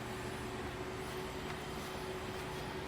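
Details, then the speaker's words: Wheel turned slowly by hand during wheel-bearing diagnosis: steady rough scratching from the brake pad with a faint held tone. "Another way is to rotate the tire and you you're gonna hear a scratching sound coming from the brake pad."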